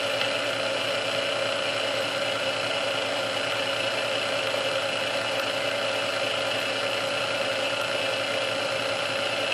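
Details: Restored Sunbeam Mixmaster Model 12 that had been quickly overheating its rebuilt speed resistor, after swapping all internal parts: smooth, even hum with light whir on first (low) speed for about 2 minutes, no surging, rattling or speed changes; original cause unknown.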